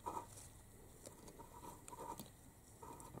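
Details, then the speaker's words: Aprilia RS 125 Rotax 122 two-stroke engine during disassembly: faint gritty scraping in uneven bursts as the crank is turned by hand, from a worn crankshaft main bearing due to be replaced. "now I want to take out the crank just Spaniels the crank bearing sounds like this"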